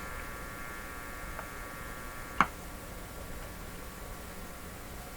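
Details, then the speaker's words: GE clock radio model 913-D valve set on isolation transformer, input shorted: steady low mains hum through the speaker with one sharp click; the buzz disappears or drops, leaving a strong hum that sounds like power supply hum. "the buzzy sound disappears or goes way down, and we're left with a strong hum. Sounds like a power supply hum."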